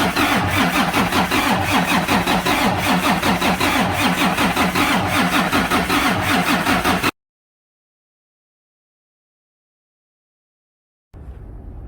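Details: Cummins diesel in Freightliner truck that would not start: fires up and runs with strong, even clatter, about 160 beats a minute, once fuel is fed directly to the pump; bad fuel pump.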